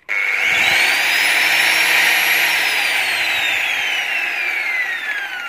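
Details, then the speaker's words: Angle grinder on a 450 W household supply with a 30 µF 450 VAC capacitor in series to stop breaker trips: steady whine, quieter and lower than normal. Reduced speed, yet still cuts 10 mm steel. "Dan ini terbukti. Walaupun suaranya agak pelan,"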